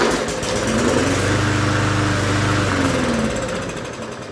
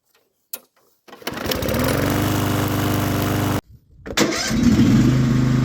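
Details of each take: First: Free push mower with oil and fresh gas; the primer bulb seemed ineffective, so fuel was squirted in. It picks up and runs evenly for seconds, then slows and dies; owner guesses a dirty carburetor. Runs only on primed fuel. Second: Free push mower, first start with fresh gas, oil looked overfull: starts on the pull, stumbles once, then runs at a steady even beat; running normally.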